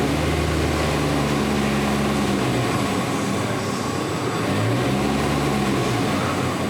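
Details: 2014 Nissan Altima 2.5L 4-cylinder, check engine light, code P0014, exhaust valve timing stuck at 46° instead of 0: revs up and settles with an uneven, wavering drone, running rough like a misfire; solenoid suspected.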